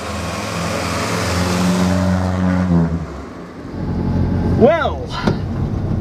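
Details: Morris Minor petrol engine after ignition work (new distributor cap and rotor arm, new leads): catches and settles into a steady, slightly lumpy idle with a few rev blips; sounds healthy, perhaps a touch rich.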